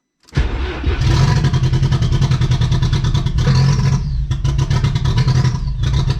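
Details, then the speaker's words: VW Golf 3 with a 1.8T swap that hadn't run in months, first start: it catches, then idles poppy, smoky and uneven with revs hunting up and down, traced to an unplugged vacuum hose. "so it seems like for one it runs and sounds kind of cool a little poppy a little smoky too hasn't ran in a long time um it seems like it's it's searching"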